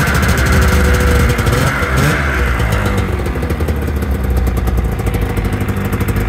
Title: Rmk 700 is alive! First start after 2 years